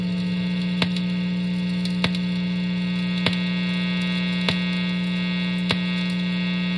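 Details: Electric guitar in the neck position with tinfoil over the pickups, not touching the strings, phone about one foot from the amp: steady low buzz with faint clicks about once a second, unchanged by the foil, so shielding doesn't help. Electric guitar hum.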